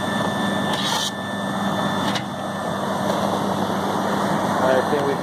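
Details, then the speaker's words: Walk-in freezer compressor restarted after a tripped breaker; snow on the defrost contacts is believed to have shorted it. A steady, even hum with a constant tone and no knocking or cycling. The compressor is running normally after the restart. "we got it running so so far it looks like the only problem was the uh shore on the uh on the def CL compressor is running then I finish running so yeah"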